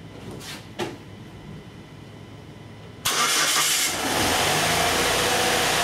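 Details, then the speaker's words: 2004 Saturn Ion 2.2L Ecotec, codes P0300 and P1599, severe lack of power, feels like running on two cylinders; cranks and catches into a rough, lumpy idle; no spark from one coil, bad ignition module, fixed by replacing the module. "symptoms are severe lack of power when I pulled this into the classroom I could barely Pull It in feels like it's running on two cylinders okay"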